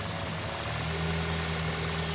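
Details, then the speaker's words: Untested wrecker-sourced engine in a turbo Toyota Hilux build, first start: even idle with steady low hum and a light tick riding on top, settling smoothly; normal idle. "It sounds good. That sounds better. That sounds happy."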